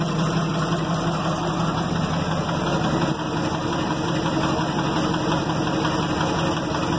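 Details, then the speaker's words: Loaded Ford F600 grain truck at rough idle: irregular low knock once or twice a second under the drone; owner suspects valve train, oil found milky. Cause not confirmed. "she doesn't sound good at all."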